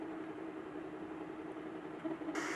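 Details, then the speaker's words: Anycubic Kobra 2 3D printer printing fast: steady, loud rushing hiss with a faint hum underneath that brightens near the end. The part cooling fan is noisy. "oh my that's that fan noise I mean just listen to this thing it's a little noisy but at least it's fast"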